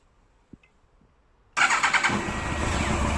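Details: 2001 Yamaha R1 5JJ under restoration with a faulty immobiliser, started by bridging the ignition wires with the choke on: silence, then it catches at once and settles into a fast, even choke idle with no misfires.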